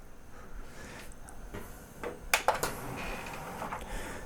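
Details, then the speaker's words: Sony CDP-CX355 CD changer after loading and carousel belt replacement, which cured a table error: quiet motor whir, then crisp clunks as the tray travels and seats, smooth with no slipping; normal operation. "Nice, the carousel is rotating and it's cycling through all the discs."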